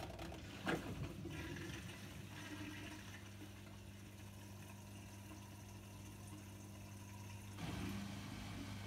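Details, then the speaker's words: Miele WKR 771 WPS washing machine TwinDos flush cycle, about eight minutes: steady low hum, water rushing in and faint ticking as the dosing pump draws water normally. "you might be able to hear that ticking that's just the component to pump just drawing in water and I'll do that for about eight minutes just to flush through the system"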